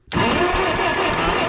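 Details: 1956 Case 420B; the starter churns the engine over steadily but it never catches; cranking no-start, in a fault traced to a bent crown washer and damaged felt spacer under the distributor rotor.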